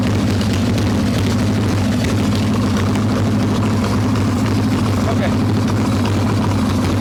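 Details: Harley Evo Softail V-twin, carbureted, warm, choke plate off, loose intake bolts and cracked vacuum cap, mixture screw seated: loud, uneven lumpy idle with ragged stumbling beat that won't settle; rough idle from intake air leak.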